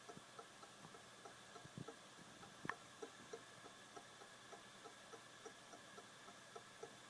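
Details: Brand-new Western Digital Caviar Green 2TB WD20EARS SATA hard drive clicking once every second: quiet, evenly spaced sharp clicks over a faint steady hiss.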